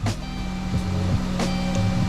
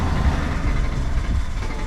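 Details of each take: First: Dodge Caravan that would not start, just after fuel pump replacement: engine catches once fuel builds and settles into a steady, even idle with a low hum and no misses or knocks; a normal start and idle. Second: Dodge Caravan with the check engine light on: a steady churning crank that sounds like it wants to start but never catches. A fuel pump is suspected.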